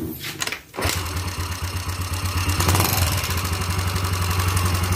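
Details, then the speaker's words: Yamaha Xeon carburettor scooter, started with exhaust bolted back on, engine also smoking: settles into idle with quick steady light ticking over the low thump; valve train ticking from loose valve adjuster nut. "Nah kita hari dengar suara mesinnya yang pertama dia ngeletrek Terus yang kedua dia ngebul nih"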